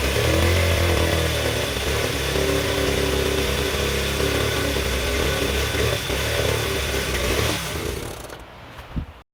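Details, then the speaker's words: 1972 Honda Z50A K3 single-cylinder just rebuilt, started on third kick with eyeballed timing: rough, rattly clatter over the exhaust beat. Not an exhaust leak; traced to a clutch installed incorrectly, later fixed. "but hey sounds like it has a weird noise to it must just be the audio well to the astute viewer a little bit of foreshadowing that noise was present and it wasn't an exhaust leak it wasn't normal"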